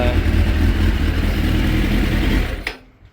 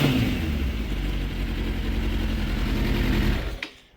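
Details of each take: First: 2006 Suzuki GSX 600F Katana, carburettor mixture screw set a quarter turn in, iridium plugs: even running with no popping, sparks or excessive smoke, revs drop cleanly and quickly to about 1200 rpm; mixture sounds right; normal rev and return to idle. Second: 2006 Suzuki GSX 600F Katana with iridium plugs, after turning the carburetor mixture screw in half a turn; idle is stable around 1200 rpm. Revving still gives black smoke and a sharp pop on throttle close, so the mixture is still too rich.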